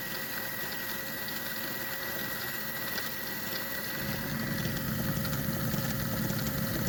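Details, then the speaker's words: Kenmore 385-19550 sewing machine after repair of a twisted, seized pattern mechanism that gave wrong stitches: steady motor whir with quick, light back-and-forth ticking, no catching; the pattern mechanism moves freely. "Okay, now when I spin the machine, watch this, how it'll go very quick."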